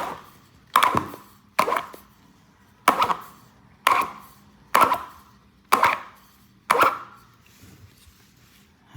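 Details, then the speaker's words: 3D-printed 70cc flat-four compressed-air engine with sliding valves and piston rings, no exhaust, turned over by hand: slow, regular puffs about once a second as each cylinder comes up on compression; rings seal well. "I did add the piston rings to this version, so this thing has a pretty good seal. You can probably hear the compression."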